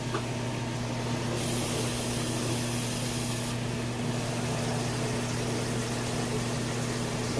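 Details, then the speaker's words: LG washer/dryer combo after replacing a defective drain pump, drum turning for rinse mode. Even motor hum under a steady hiss of water spraying and filling, no knocks or grinding. Normal rinse cycle. "Sounds like she wants to run good. It's turning for a rinse mode."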